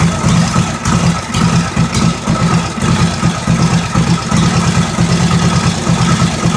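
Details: 1945 Indian Chief V-twin fired up after re-rebuild (new rings, honed cylinders, lapped valves, new head bolt washers, intake manifold and seals): even loping idle, steady firing pulses, no knocks or misses; normal idle.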